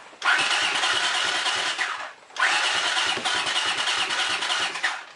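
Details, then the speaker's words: Honda CX500 after cleaning the plugs: two long bursts of fast starter cranking with barely one firing, and it won't catch. The owner suspects it isn't getting fuel, or lost compression from sticky valves. "Well, seems like it's not getting gas or something. Let's see. Let's choke."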